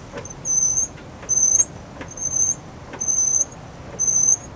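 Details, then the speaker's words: Cadillac front wheel: thin high squeal repeating about once a second; split CV boot found, squeak seems to come from brakes, pads much more worn than other side; new pads and CV axle planned. "It sounds like the squeak comes from the brakes, and actually these are a lot more worn than the other side."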